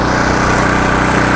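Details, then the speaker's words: Budget small power generator, pull-started with choke then choke returned, no sound deadening: steady, even buzzing putter at constant speed with no misses or surging; running normally, louder than the owner's 4,200 W and 2,300 W generators. "Itong mic ko, wala naman po siyang sound deadening. Kumbaga, wala naman siyang yung pampaalis ng ingay. So, maririnig nyo po talaga yung ingay niya, mga kaibigan."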